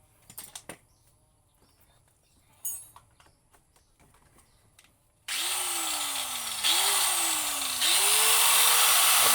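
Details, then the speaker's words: Hitachi angle grinder after armature repair, previously growling with sparks at the brushes: after handling clicks it spins up in three surges to a smooth steady high whine, no brush sparking, running normally again. "menyala dengan sempurna ini bersih tidak ada percikan bunga api pada brosnya mesin kembali normal suaranya halus dan bisa dikerjakan seperti biasanya"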